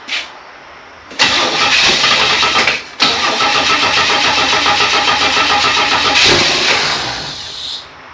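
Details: 1964 Chevy II Nova being started for the first time in a few months after a brake rebuild. The starter grinds in long bursts but it never fires while fuel isn't picking up and there is a small fuel leak; the cause is suspected, not confirmed.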